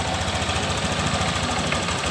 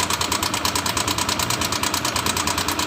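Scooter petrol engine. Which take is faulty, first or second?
second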